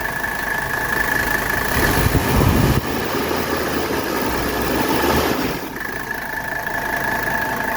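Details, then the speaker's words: 1985 Mercedes 300SD diesel at idle with AC on full blast after the belt was tightened: even diesel clatter with no rhythmic compressor chatter; belt drive sounds healthy. "all right the AC is on full blast and you can hear we don't have any more chatter from the compressor because we tightened up that belt"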